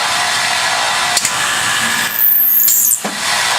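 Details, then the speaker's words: BLACKALLOY 2C-T7 twin-spindle head with 7/32" drills boring a 1 1/8" wooden handle at 3400 rpm on a direct-drive 3-phase motor, 50 psi air, 2–3 s cycle; a thin squeal near stroke end, suspected chips not clearing, not confirmed. "It's roughly a 2-second cycle time, and as you can hear, when the drill gets down near the end of its stroke, you can hear almost like a squealing sound."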